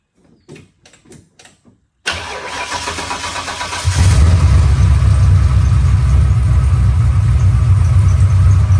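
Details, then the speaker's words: Mustang with 408 stroker V8 after reinstalling the starter: cranking sounds heavy and labored about two seconds before firing into a steady, loud idle; starter drag persists, possibly weak battery or washer thickness, unconfirmed. "but it it sounded to me like it was still doing it sounded like it was dragging a little bit like some of that could be the battery"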